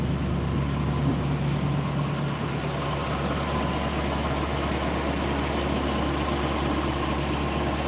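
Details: V8 idling near the engine bay: steady low rumble, even firing, no misses or surging; normal idle.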